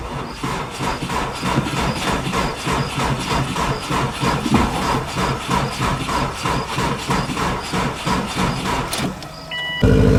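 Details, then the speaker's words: 2002 Subaru WRX wagon with about 400,000 miles, possibly a newer long block, started after a new battery and fuel. Even, strong idle with no knocks or misses; normal idle. "Just got her started and she sounds mean. I mean, it runs really, really good."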